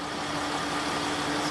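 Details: Land Rover Discovery 4 3.0 TDV6 diesel, freshly started after a fuel filter change (LR009705), testing whether it self-bleeds air: a steady, even idle with a constant low drone and no misses, knocks or hunting. No leaks were found.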